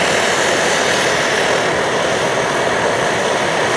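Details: Optimus Hiker Plus liquid-fuel pressurized stove at full blast, kept pumped up, white/blue flame; steady, even hissing roar with no surging or dropouts: normal burner roar.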